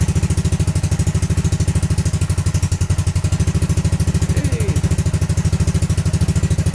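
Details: Honda Grom after ABS module delete and wiring bypass: steady single-cylinder thump at an even low idle, no misses or extra noises, keeps running cleanly; engine idling normally.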